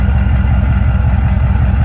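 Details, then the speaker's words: 1995 Chevy K1500 6.5 turbo diesel idling at the tailpipe: deep, even diesel idle with no knocks or misses, faint turbo whine; starts right up and sounds healthy. "All the gauges working. Starts right up. Sounds really good."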